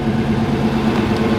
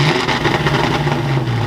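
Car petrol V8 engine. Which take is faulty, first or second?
second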